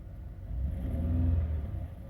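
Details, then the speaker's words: 2001 Chevrolet Monte Carlo LS running after replacement of the radiator, both fan motors and the instrument cluster. Temperature gauge is rising and the check light is blinking. Engine rumbles smoothly and evenly through a gentle rev, with no knocks or misses. Normal running. "Then we have our temperature start rising up, and our RPM basically is running good."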